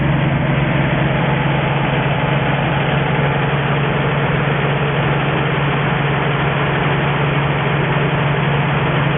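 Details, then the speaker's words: 1963 Ford F350 petrol engine with Cherry Bomb muffler, first run in 20 years, coolant somewhat low: steady even low rumble, no knocks, misses or surges; idling smoothly and healthy. "Need to put some more water in there, but it's got water, and she's running good."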